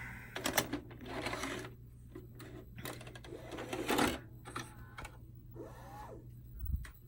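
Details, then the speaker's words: 1992 Shintom VCR450 VHS VCR after full recap: short bursts of motor whir and quick ticking as the blank tape threads in for quick play; normal cassette loading mechanism. "But it does do a quick play in that it will load the tape and get it ready."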